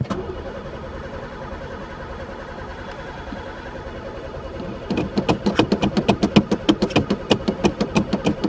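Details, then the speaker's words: Pontiac not run for three years, sticky throttle, gas dumped in carburetor: steady starter whirring with rhythmic compression pulses about three per second but never catches; cranks without starting, owner suspects no spark, chewed wires or broken fuel lines. "Don't tell me this one's got no spark, too. It's even gas dumped in it. Um, this ain't a good day."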